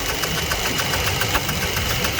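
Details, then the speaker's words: 2004 Jeep Liberty Renegade before repair: sharp regular clacking about five times a second over smooth idle from the top end, a dropped rocker arm due to collapsed lifter. "So you can hear it starting to clack now."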